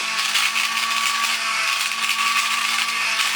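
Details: Vintage toy robot's small motor, freed by hand and due for lube on the shaft ends, now running better. A steady high-pitched electric whir holds one even pitch with no stutter. Normal toy motor run.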